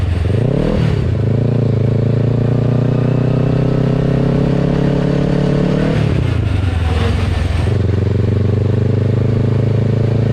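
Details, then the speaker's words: 600cc crosskart on its first drive after three years of building: engine revs up and settles with loud loose clatter over the exhaust; rear end rattling badly, owner unsure if the chain tensioner needs replacing. "I don't know if I need a new tensioner or what, but the thing sounds like it's going to implode. >> What is it? Is that the chain sound? >> like [laughter] it's everything rattling back there."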